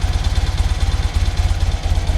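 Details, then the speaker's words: 1975 BMW R75/6 airhead boxer, Bing carburettors on basic settings, throttle closed, engine not yet fully warm: steady even low thump, tickover about 1000 rpm, too fast and expected to rise as it warms. "so now it tick over it ticks over about a thousand rpm which is too fast and i'm sure as it warms up it's going to get faster and faster"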